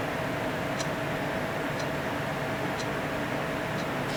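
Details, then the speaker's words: PC with new Corsair AF120 case fans on a Phobya splitter, heard near the PC: soft steady airflow hiss, faint constant tone, a few light ticks; quiet normal fan noise, acceptable. "I think that's acceptable. I don't have a problem with that."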